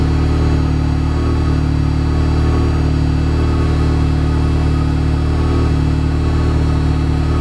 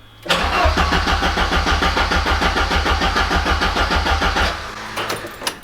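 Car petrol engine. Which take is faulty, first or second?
second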